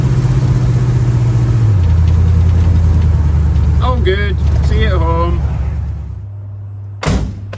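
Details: 1936 coupe with TH350 transmission on test drive after replacing the leaking speedo bullet and gear: low, even engine drone easing to idle and shutting off, no whine or ticking; earlier noise gone, blamed on dodgy speedo.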